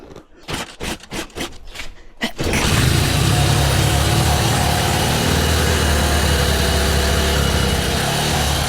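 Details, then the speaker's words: Carbureted 125cc Chinese budget commuter motorcycle, cold on choke after kickstart and sitting about a week: catches into a loud, slightly uneven idle that sags as if wanting to stall; owner suspects fuel needs to start flowing; rough cold running on choke. "Oh, it looks like it wants to die. All right, I'm gonna keep it on the choke for a little bit because we want it to die without the choke."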